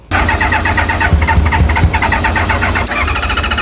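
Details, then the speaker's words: Track bike that never started and had bad-smelling old fuel drained from the tank: steady, rapid starter chugging for a few seconds with no firing; it cranks but won't start, cause not confirmed. "So the bike never started and we checked inside the tank and it was horrible fuel."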